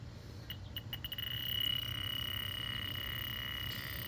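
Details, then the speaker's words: Fieldpiece DR82 detector probing an evaporator coil charged with a little R22 and pressurized to about 300 PSI: high thin beeps speed up into a continuous tone near the coil; leak confirmed somewhere in the evaporator coil. "So far, I haven't had no issues. So, uh like I said, the leak's right here somewhere."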